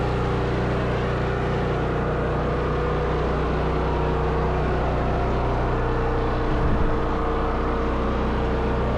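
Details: Firman generator running on propane, set up before an ice storm after earlier trouble starting: steady, even engine hum with no stumbles, knocks or surging; smooth normal running.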